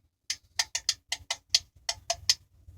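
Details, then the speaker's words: Refrigerator defrost timer being turned by screwdriver into defrost mode: sharp dry clicks, about nine in three seconds, as the contacts close for the defrost heaters; normal operation, contacts not burnt. "operation clicking you hear that that was a contact closing for the defrost elements"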